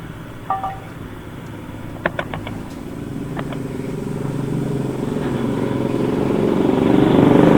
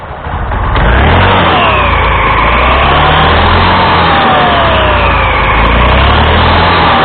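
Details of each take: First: Honda Scoopy scooter with a noisy CVT: a rough, rattling rumble that swells as revs rise. The drive belt is worn bald with many teeth missing, and the front variator roller housing is damaged, which makes most of the noise. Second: Honda Scoopy (Scoopy Donut) after replacing the damaged front roller housing and drive belt: scooter starts and revs cleanly, smooth rising and falling CVT whine with no slipping, rattle or judder; belt drive sounds healthy.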